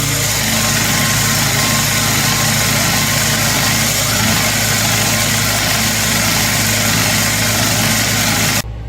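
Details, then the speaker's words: 7x14 two-speed mini lathe after motor upgrade and gear reinstall, running: busy metallic rattle and whir over motor hum with uneven chatter, smoother than before but gears sound poorly meshed, "getting ready to blow." "I can hear those gears getting ready to blow."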